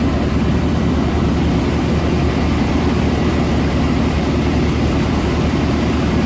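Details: 1990 Chevy K1500 pickup before exhaust repair: loud, raw, deep unmuffled rumble at steady idle from a leaking, rusted pipe with the muffler gone, only a glass pack left, dumping out 2 1/4-inch outlets.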